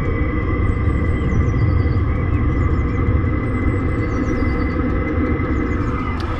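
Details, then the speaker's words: Chinese diesel heater in a camper van with small stock muffler, about 72 decibels measured: constant low exhaust roar with steady high-pitched tone on top, before upgrade to an Eberspacher silencer. Loud exhaust noise. "let's say we're getting about 72 decibels of sound coming out of that now"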